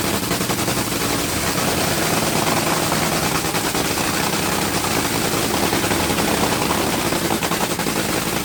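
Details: Top Fuel Dragster engine after rebuild: dense, rapid crackling blown-engine roar at idle with a steady, even beat and no misses or knocks; normal idle.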